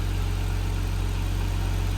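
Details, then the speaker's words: Nissan R34 Skyline idling after clutch fan removal and new e-fan install, warming toward 180–185°F fan trigger while bleeding coolant; steady, even low hum, exhaust and engine now audible, no knocks or fan roar; normal healthy idle. "Now you can hear the exhaust and you can hear the engine."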